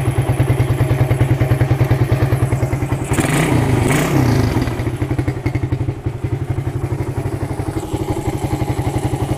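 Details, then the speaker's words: Suzuki Satria FU with a PWL/PE28 28 mm carburettor, cleaned and re-jetted (main and pilot jets) to cure hesitation when throttled, air screw now set; crisp crackle picks up cleanly on a quick blip and returns to steady idle; carb seems right; normal revving. "Oke Bolo sudah Enak ni nampaknya kendor oke ya Jadi karbunya ini sudah pas sepertinya ya"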